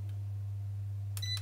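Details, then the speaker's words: ERGO FS 1677 fan after replacing the failed mains capacitor with a 0.3 µF 400 V part: steady low motor hum with one short electronic beep as the first speed engages; all three speeds work normally. "и смотрите какой результат включается первая скорость"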